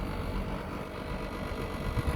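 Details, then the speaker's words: Air conditioner outdoor condensing unit running normally after a replacement indoor fan motor was fitted (unit had failed to start with 3 blinking lights after cleaning); steady low hum and fan rush, extra noise was the vibrating outer frame, cured by repositioning. "ลมทำงานแล้วนะครับเสียงก็ทำงานแล้วนะครับที่เป็นดังไม่ใช่อะไรครับเป็นโโครงนะครับโครงมันดังไม่ใช่ว่าแอร์ดังโคงด้านนอกเครับมันสั่นแล้วมันดังขยับแล้วมันก็หายนะครับ"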